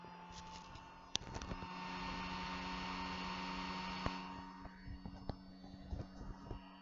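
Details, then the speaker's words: ISDT C4 18650 battery charger with its original fan, before replacing it with a Noctua NF-A4: steady high-pitched fan whine with a low hum and a few clicks; loud, annoying cooling fan. "is super super loud and it's extremely annoying when it's running in the background"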